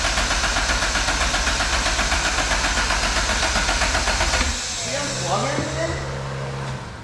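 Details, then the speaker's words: Honda Civic, first start attempt after fitting a $120 turbo that replaced a blown one. Fast, even cranking for about four seconds with no firing at all. It is a crank no-start because no ECU is installed in the car. "oh there's no ecu in oh i it like why does it not like sound like it's even trying to turn on i forgot that i was using jordan's ecu"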